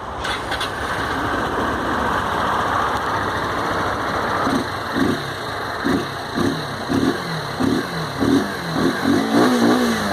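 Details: 2017 Honda Titan 160 motorcycle on its centre stand, after a loose chain was tightened and lubricated to cure an engine noise: starts, idles evenly and takes clean throttle blips with no knocks or rattles; healthy.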